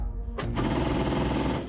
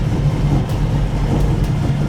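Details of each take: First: 1969 Ford Mustang, long unused, with restored carburettor: starter cranks slowly with a laboured, rattling churn that never picks up speed; battery power insufficient even with double jumper leads from a bigger battery. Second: 1969 Ford Mustang V8 first start after many years, with restored carburettor and a jumped bigger battery: deep even rumble holding a smooth steady idle with no misses, knocks or surging.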